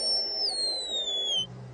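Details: Hand-soldered surface-mount light-controlled tone circuit run from a 9 V battery gives a clear high whistle sliding smoothly downward for about a second before cutting out; working as intended.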